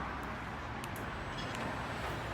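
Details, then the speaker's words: 30-year-old garage roller door after a proper service and lubrication, having earlier been left noisy by a quick fix: it now runs with a soft, even rumble, quiet and smooth, with no squeaks or scrapes. "Let's see the difference after a proper service. Quiet and smooth as can be."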